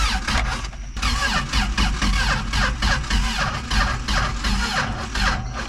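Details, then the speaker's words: Old Toyota truck sitting 26 years, starter fluid sprayed into carb, distributor previously tampered with: sluggish, labored cranking about two turns a second that never catches; the battery is dead. "Oh, nice. Sounds like my battery's dead."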